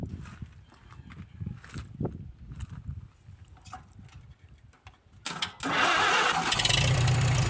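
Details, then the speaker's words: Farmall H tractor engine bought at auction, after manifold replacement and valve adjustment (previously ran rough with poor compression): fires after handling noise and holds an even, steady beat with no misses, running smoothly. "that really runs good"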